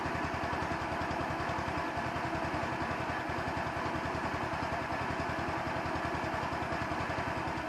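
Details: 150cc Chinese scooter, idle screw adjusted many times, mixture screw under welch plug, camera moved closer to the bike; soft, slightly lumpy single-cylinder idle, pulses not quite even; uneven idle, owner suspects mixture, not confirmed.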